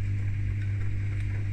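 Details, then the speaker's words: Beko WTIK84121 dishwasher on a Cottons 60 main wash: owner hears an unusual motor sound beyond normal water sloshing; steady, low, even hum with no rattles or grinding, identified as the pump running normally. "what I was doing now honestly I'm just chill here see that sound that sound is the pump"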